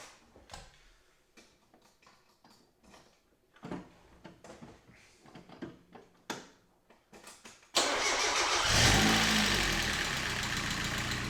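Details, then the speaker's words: Mazda MX-5 Miata NA 1.6L first start right after oil and filter change: engine fires into busy idle with light lifter ticking until oil pressure builds. "As you heard, there was a little lifter ticket startup because there's no oil"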